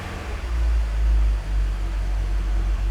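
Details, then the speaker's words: BMW E46 330i, naturally aspirated M54B30 inline-six, just fitted with very aggressive cams, not yet tuned, oil pressure 4.5 bar; deep heavy rumble swelling and dipping unevenly, choppy loping idle from the aggressive camshafts. "let's hear that choppy idle you can actually hear the camp so the idle is definitely not going to be smooth with this thing"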